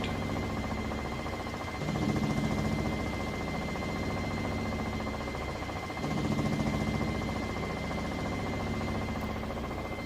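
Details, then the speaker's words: 3-year-old Whirlpool Cabrio washer, full load of mostly jeans and towels, final high-speed spin, pump cycling on and off in the last five minutes; steady drum hum, faint constant whine, pump drone swelling and fading; normal spin cycle. "and it also cycles that pump on and off in the last five minutes as it spins the additional water out"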